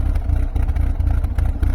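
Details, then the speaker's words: Fiat Tipo at idle, heard at the exhaust pipe: deep, uneven thrumming pulse swelling and dropping, with visible exhaust vibration. Rough idle; a blocked catalytic converter or ECU/sensors are suggested, unconfirmed. "Jim will take you around to the exhaust pipe and kind of hear the thrum that comes out of that too yeah it's a little bit more noticeable at this"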